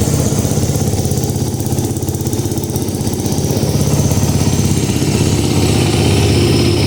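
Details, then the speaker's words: 2009 Kawasaki KX450F after rebuild with new crankshaft, first start: crisp, even single-cylinder beat, steady low thump, no knocks, leaks or smoke; throttle very sensitive; runs healthy, normal running. "she's a mean fire-breathing machine. Sounds good. No leaks, no smoke."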